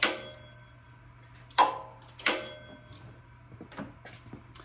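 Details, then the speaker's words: Cub Cadet 1863 mower PTO clutch after a new bearing was fitted and its depth in the pulley readjusted: a few sharp, solid clicks over a low electrical hum as the clutch engages crisply, with no brake dragging or rattle. "But when it does turn, you don't hear the brake dragging. So we should be in pretty good shape."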